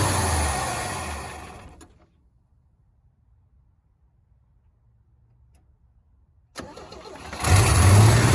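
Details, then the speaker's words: 1965 Chevy C10, sitting since 1994, first run: runs a couple seconds, dies, cranks and catches again, won't hold idle; gas pedal sticking, possibly because throttle return spring was removed during fuel hose work. "The gas pedal's kind of sticking. I think probably help if I put a return spring back on it. Took it off earlier when I was messing with that fuel hose."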